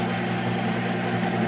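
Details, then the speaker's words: Monarch 10EE 30-inch lathe, first run after sitting about 20 years, feed gearbox driving the cross slide: steady even hum with clean low tones, no knocks or grinding; quieter than the owner's rebuilt machine, decent gearbox. "i got to say it's a lot quieter than my other machine the one that i just redid so i guess this one has a pretty decent gearbox"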